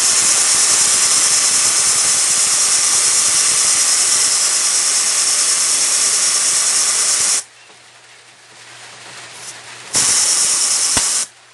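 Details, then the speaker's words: Vespa air compressor after refitting its pulley: with the motor off, loud steady hiss of air venting from the tank, a pause, then a second short burst before restarting; normal tank bleed-down. "Ubusin natin yung laman guys ng tangke, tapos paandarin natin. Pasingawin natin yung hangin niya dito."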